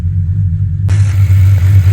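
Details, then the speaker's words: Audi S5 V8 after replacing a timing-advance part stuck in advanced position: deep heavy rumble at idle with slightly uneven beat, still missing a little; lumpy idle with slight misfire. "So as you can probably hear, if you can hear me above the sound of this beast, she's still a bit lumpy."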